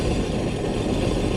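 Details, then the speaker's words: Sea-Doo Spark Trixx jet ski after installing a stainless wear ring (Solas) and reseating it, started to check for the earlier screech. Steady, even idle with a low rumble and no screech or scraping, normal idle. "Sounds normal, like it should."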